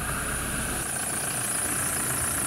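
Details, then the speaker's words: 2006 Toyota Fortuner diesel, 284,000 km, cold morning start: thin steady high squeal over idle from the drive belt, cold and slipping; belt due for replacement. "yung ingay nung drive belt. So, sa ano lang yan, pag cold start sa umaga, hindi pa mainit yung belt. Dulas pa siya."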